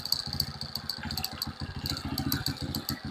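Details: Euro 150 motorcycle after carburetor cleaning fixed its no-start, idle raised to clear carbon deposits from the exhaust: quick, even single-cylinder popping at idle with a light rattle on top, no stumbling or misfires; idles normally.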